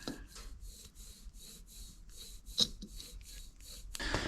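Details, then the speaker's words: 2004 JDM Subaru Legacy GT-B wheel bearing, axle removed and spun by hand: short gritty rasps about twice a second, sounds full of sand, doesn't spin freely; caused grinding mainly when turning left, sometimes right; worn wheel bearing. "sure enough the wheel bearing is faulty um it sounds like it's full of sand so and it does not spin very freely which is kind of strange"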